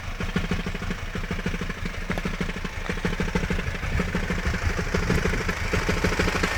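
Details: Hyundai ix35 engine idling: a light tick about once a second over the steady hum, growing a little louder toward the end. Abnormal engine noise, cause unclear.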